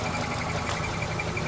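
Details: Rough idle with a faint, pulsing high-pitched chirp over the low rumble. The owner attributes it to a worn throw-out bearing; not confirmed.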